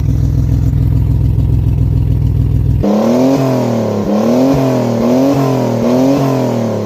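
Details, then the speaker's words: Maserati Biturbo, first start with new custom 2.5-inch exhaust only tack-welded: engine catches and revs with raw rasping blat rising and falling with throttle; exhaust leaks at tack-welded joints, not final exhaust sound. "So, most of the noise is actually coming from right in here. Right now, it's the exhaust leaks are so bad."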